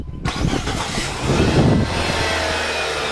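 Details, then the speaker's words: 2009 Nissan Tiida after starter motor replacement: a short brisk crank catches cleanly and settles into a smooth, very quiet even idle with no grinding; starter and engine healthy. "super quiet engine"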